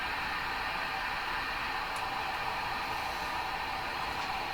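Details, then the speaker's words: Hammarlund SP-600 receiver with a fault localized to tubes 6, 7 and 8: only a steady even hiss on the double-conversion upper bands, with or without an antenna; no stations pass through, just birdies, and the radio appears not to be working at all. "Doesn't matter if you have an antenna or not. Up on the double conversion area. But it's pretty convincing that this is just not working at all."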